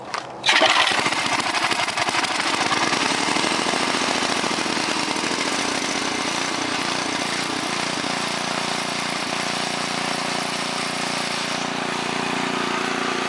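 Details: 1969 Yardman Snowbird 7040-0 snowblower, 5 hp engine, started on full choke: catches on the first pull and settles into a steady, even buzz with no misfires or rattles; normal running.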